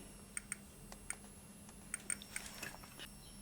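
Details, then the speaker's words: 1968 Sputnik-1 radiometer under repair, in Measurement mode: sharp irregular Geiger clicks about three a second over the blocking generator's faint high whine; counter working. "I'm bringing the uranium glass to the sensor, and we hear that the clicks are becoming more frequent. This suggests that, purely theoretically, the Sputnik is working correctly."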